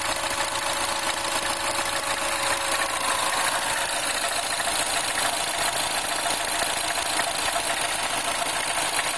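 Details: R56 Mini petrol engine, cold start after sitting through a workday, at idle: a light, uneven metallic rattle over the hum, attributed to timing chain noise.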